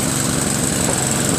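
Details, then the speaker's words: Craftsman 522 snowblower with Tecumseh engine, after the auger belt adjusting nut was tightened to remove slack: small engine holding a steady, even drone under load with no slipping or squeal. The auger engages immediately; normal. "Yeah, that's what we're talking about right there. Yep, that's the sound, see? That's the sound you want for immediate engagement of the auger."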